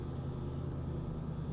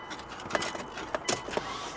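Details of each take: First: Salvage car at auction started after key fob trouble, TPMS, check engine and ABS lights on, parking brake released; steady, even low idle rumble with no knocks, ticks or misses, runs great, normal idle. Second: Auction car with 189,000 miles, automatic: the starter spins fast and even with no compression pulses and no firing. No compression; owner is sure the timing belt broke and suspects an interference engine.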